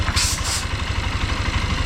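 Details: Honda XR150 single-cylinder that had been noisy and lacked power, idling after repair with a steady, even low thump and no knocking; still smoky from residue in the exhaust, expected to clear in 2–3 weeks.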